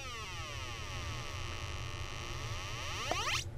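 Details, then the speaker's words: 555 timer signal generator on a breadboard driving a speaker: a buzzy square-wave tone sweeps steadily up in pitch as the adjustable timing resistance drops, with the waveform expected to degrade at very high frequencies. Normal operation. "I can adjust my frequency now and I should have a pretty a pretty good square wave until I get to the real high frequencies"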